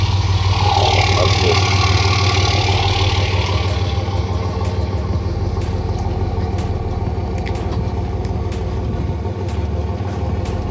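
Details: Drift car engine with epoxy closed deck, likely overheated to about 120°C/260°F at previous event: loud rough running with steady sharp knock about three times a second; spun connecting rod bearing, rod knock.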